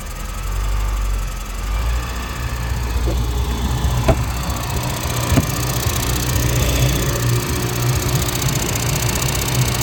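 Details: Suzuki DF115 outboard idling: steady airy hiss over low rumble; flywheel magnet steel cover broken, possibly by corrosion, rubbing the stator; fixed by replacing the flywheel, charging 14V 9–11A at idle.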